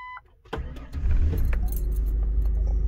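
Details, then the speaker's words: Ford Explorer (1995 with 1996-style body), owner reports hard morning starts with long cranks and stalling; after work incl. idle control valve and fuel cap: door chime, quick crank, catches within a second, steady even idle, starts cleanly. "oh that was good so i turn on it turn on seems like it's working good so"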